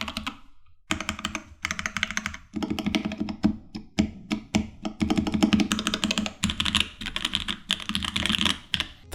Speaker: rattle on the spacebar was so brutal that I didn't really use this board on a daily basis, as I had other cheaper boards that had better sound than this.